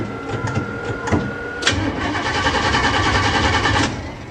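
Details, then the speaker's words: 406 engine, distributor connected, fuelled but no cooling, first start attempt in a long while after installing a new fuse/relay panel. The starter churns steadily, about three and a half turns a second, but it never fires: crank, no start. "oh come on don't disappoint me i guess it doesn't want to start really what am i missing"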